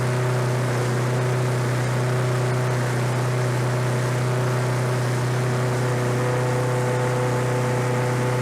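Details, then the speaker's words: Lawn-Boy 21-inch self-propelled walk-behind mower found in the trash, low oil, fresh gas: engine holds a steady, even low drone with no misses or surging, running cleanly. "so so that's interesting like i say this is out on the side of the road with the trash and it runs"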